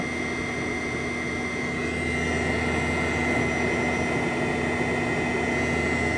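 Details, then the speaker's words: 2004 Land Rover Freelander 1 TD4 Webasto Thermo Top C fuel-burning heater, reassembled and bench-powered: steady fan whir with a whine and fuel pump ticks every quarter second. It never ignites; glow plug or fuel priming suspected. "and yet again fully assembled it is refusing to start again"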